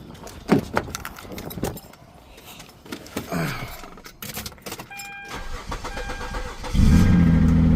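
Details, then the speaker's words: 2006 Hyundai Azera 3.8L V6, formerly crank-no-start after a bad ignition coil shorted and blew the ignition coil fuse; after repair it cranks briefly, catches cleanly and settles into an even idle; normal start. "Look at that. It is alive. If this popped, it wouldn't be running."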